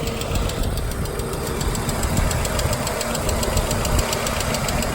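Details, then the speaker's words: 1997 Volvo 850 at idle: steady, quick, regular light ticking over an even idle; top-end hydraulic lifter tapping, intermittent, stops once driven hard, oil pressure light goes out at start; owner suspects oil starvation from worn oil pickup tube O-rings, unconfirmed. "because as you can hear I think that that top end is a little oil star"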